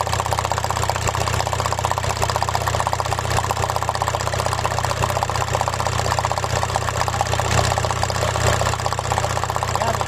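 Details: Engine at rough idle, shaking, with an uneven, lumpy beat about twice a second; codes P1666 and P0301 show a cylinder 1 misfire and an electrical error.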